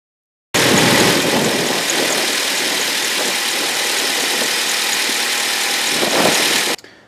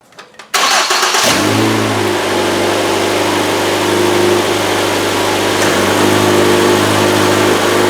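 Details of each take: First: 2012 Ford Escape 2.5L at idle: harsh high-pitched squeal over steady idle, no speed change; accessory belt squeal from worn idler pulley. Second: 2012 Ford Escape 2.5L after replacing the belt tensioner and idler pulleys: the engine catches and settles into a steady, even idle with no squeal or chirp from the belt.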